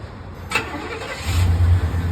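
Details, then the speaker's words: 1992 GMC Sierra 1500 Z71 remote-started through a newly installed Viper 5706V alarm while the truck stays armed: short crank, fires within a second and holds a smooth low idle; normal start. "can start your truck nicely just gonna tell you that your engine is running truck's still armed"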